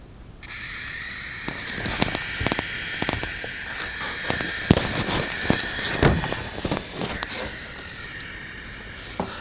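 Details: Dell Inspiron 15 3535 laptop with AMD Ryzen 7 7000 series, new unit: once the fan spins up, rough hissing whirr with irregular scratchy ticks; internal cables rubbing against the fan blades.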